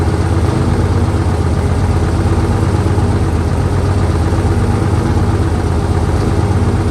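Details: 1968 Dodge C500 truck on a cool day (about 40–55°F), started via jump from another truck and starting fluid: low, steady idle, even firing with no knocks or rattles; running fine.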